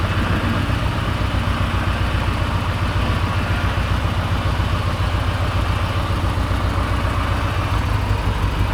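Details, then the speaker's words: 1986 Porsche 944 four-cylinder, long-stored, weak battery, driving on road: uneven, stumbling note, beat dropping out irregularly like running on three. Misfire; owner suspects bad gas or one dead cylinder, not confirmed. "I don't know if you can tell, but this car is on the road and it does not drive good. I don't know if it's a combination of bad gas or why it's misfiring like it is, but I feel like I've got at least one hole out of the engine."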